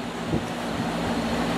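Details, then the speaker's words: Carrier air conditioner condenser after replacing a bad run capacitor, 86 °F heat load: steady, even fan rush with a low, smooth, quieter compressor hum and no rattles; fan back up to speed, running normally. "that was the problem now this thing's running much better much quieter which is good"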